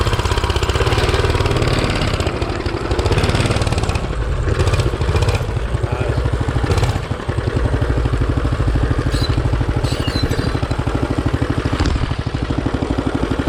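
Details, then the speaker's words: Coleman CT200U-A mini bike with newly installed Hisun 196cc engine, test run: single-cylinder chugs at fast idle with an uneven, lumpy beat, speed dipping and surging; runs rough, oil checked good, no obvious cause. "That don't sound good. Well, let's check it out again."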